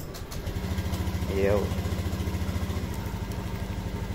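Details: Honda Beat fuel-injected scooter after fuel pump replacement, body panels refitted, idling while checking engine data: steady, even low putter with no misses, knocks or hunting; RPM fine. Normal idle after repair.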